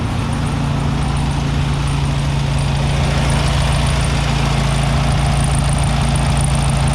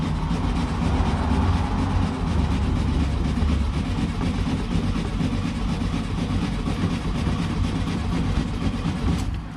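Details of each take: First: 1967 VW Beetle air-cooled engine on its first start after sitting for years, choke thought to be needed. A steady, even low throb of about four beats a second with no misses or knocks: a normal smooth idle. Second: 1967 VW Beetle that sat for years, first start attempt, out of gear: steady rhythmic cranking at about two turns a second with no firing; cranks but won't start, owner suspects no fuel reaching the engine.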